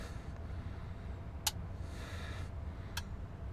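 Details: Marantz 2500 receiver being restored, powered up through a dim bulb with amp module power leads disconnected: sharp single relay clicks at about 1.5 and 3 seconds over a quiet low hum; relay engages normally and the bulb dims way down, drawing about 33 W.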